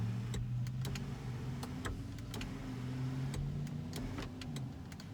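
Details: Mercedes W211 panoramic roof motor after fix (washer added on bolt where motor was grinding while closing): even electric hum for several seconds with a few light clicks, no grinding or buzz; runs smoothly.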